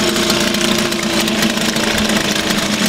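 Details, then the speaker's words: Suzuki DT 2.2 (2 hp) two-stroke outboard in a test barrel of water, first start after winter on choke, warming up: buzzy, fast-firing, even idle with no miss or knock; runs normally. "холостом ходу его перегоняя пока это немного немного прогреется вот уже три года"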